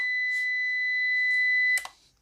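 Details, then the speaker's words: Luminous LB600PRO UPS switched on: a single steady high beep of about two seconds then a soft click, the normal power-on signal; it starts on battery backup with no mains, yellow indicator lit. "విధంగా beep sound వచ్చి UPS on అవుతుంది."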